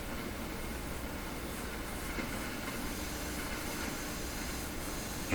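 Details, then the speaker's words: Sony TC-530 reel-to-reel tape deck on playback with volume down and speakers on: a constant quiet hiss with faint low hum from both speakers; amplifier noise, cause not found. "hump here the amplifier hum and hiss coming out of here"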